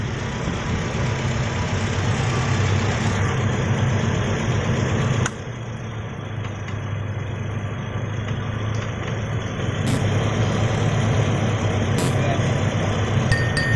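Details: Toyota Kijang Innova: low, uneven idle with loose stumbling beat and shaking, likely one cylinder misfiring; spark plug number 4 checked as suspected cause, not confirmed; rough idle.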